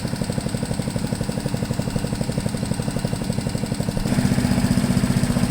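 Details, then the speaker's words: MTD push blower with 5 hp Honda engine, revived after 2+ years, run again after trying to raise speed (only an idle screw found, no high-speed adjustment): fires evenly with a steady beat, speed rising slightly near the end; judged fast enough. "i couldn't find any high speed it is running fast enough i guess i don't want to mess with it anymore"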